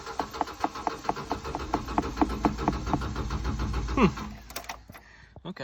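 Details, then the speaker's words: 1997 Subaru Outback with about 230k miles, cranking after dying with the oil light on; the fuel pump was replaced a couple of weeks earlier. Steady cranking with no firing; owner suspects it is not getting fuel. "might not be garbage kind of sounds like it's not fueling let's hope that's what the problem is"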